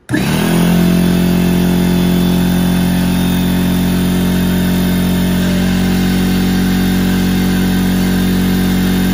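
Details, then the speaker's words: McGraw 21-gallon oil-free air compressor, 1.5 HP universal motor, starting up and filling tank: starts instantly, loud even steady drone with no knocks or rattles; normal running. "And now I'm gonna start it up and let it get filled up, and we'll go from"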